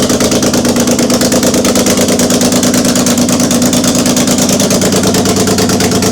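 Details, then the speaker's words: BMW E30 started for the first time in six years after an engine swap and rewiring, fuel pump working; it catches and settles into a steady, even idle with a smooth rapid beat, no knocks, misses or rattles; running smooth. "Yes, we got it. Engine is running and it's running smooth."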